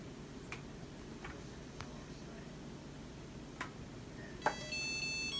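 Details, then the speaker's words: Samsung DW80R5060US dishwasher finishing diagnostic mode after all 5 tests pass: after a quiet stretch and the door auto-release opening, a short bright chime of several clear notes plays; normal end-of-cycle melody, OT code shown. "And it should complete the test, which is, you'll see the code will appear after the 5 tests is passed. And it should play the song by the end of cycle."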